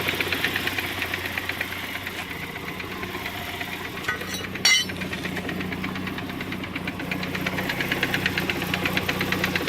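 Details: 1991 Saab 900 Aero Classic at steady idle: a light, slightly uneven knock taps about three times a second; something internal is knocking, cause undiagnosed.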